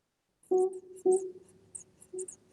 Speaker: can you all hear that squeak kind of a whooing squeak sound good so that is another very common issue and sure enough this has it some kind of a wood fiber sticking out and so what that does is it sticks out and rubs on the neighboring keys